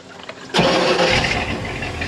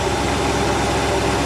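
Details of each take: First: 1986 Shamrock 20 boat, Ford 302 V8 not started in three years: starter churns it over steadily for about three seconds without firing; crank no start, fuel starvation with a dry carburettor. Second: 1986 Shamrock 20 boat, Ford 302 V8 revived after 3 years unstarted: steady even idle rumble with no misses, knocks or hunting; running smoothly and getting fuel.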